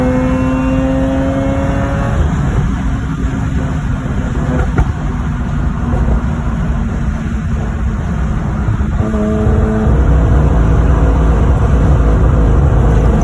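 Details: Mazda RX-8 rotary revved near redline: a loud, steady scream that breaks up and stutters; owner reports a hiccup between 7,800 and 10,000 rpm, cause unknown.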